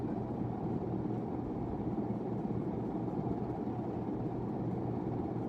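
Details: 1991 42-inch hugger ceiling fan, model HC42, 60 W 0.5 A, on test before install, slight wobble: on high, soft steady low hum and airy whoosh, no ticking or scraping; about 4,330 CFM measured, healthy.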